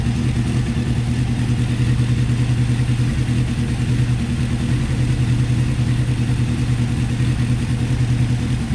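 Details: Honda CBR600F3, warmed up, no choke, after jet cleaning, exhaust temperature check per cylinder: uneven lumpy four-cylinder idle, some cylinders weak; rough idle, cause suspected, not confirmed.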